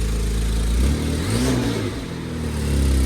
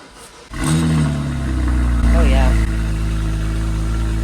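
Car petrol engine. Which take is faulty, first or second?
first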